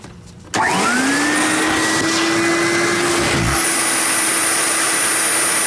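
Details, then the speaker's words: 1980s Electrolux Marquise 1521 "Super J" canister vacuum, full of 25–30 years of dirt, before cleaning: motor spins up to a steady high whine over coarse airy roar; machine sounds tired, rough-running motor. "you can hear the motor this this machine is tired so that's what's in there"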